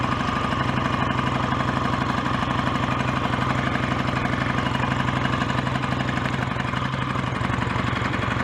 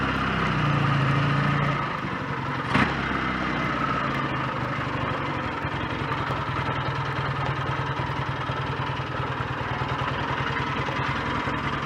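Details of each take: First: BSA A10 Super Rocket 650 twin at warm idle off choke after carburettor needle was cleaned of dried-fuel deposits and raised two grooves; steady even beat about four pulses a second, no misses, healthy idle. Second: BSA A10 Super Rocket 650 twin, after cleaning the throttle-slide needle and raising it two grooves: light, uneven clatter at about three knocks a second over a lumpy idle, absent when revved; owner suspects the electric starter sprag clutch, unsure.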